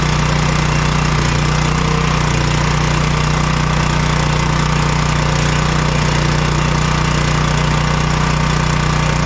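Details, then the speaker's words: Generator engine after carburetor cleaning for old-gas crank no start, choked, no fuel bowl leaks: steady, even chugging at constant speed with no surging, hunting or misses; normal running after repair. "runs awesome so we'll just put her back together put the air cleaner back on fire up and let her run"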